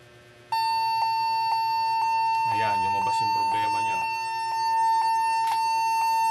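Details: Lenovo G40-80 (80KY) laptop with no charger and a dead battery, continuous long high beep at power-up with no short-beep pattern; suspected memory error, unconfirmed, keyboard also suspected.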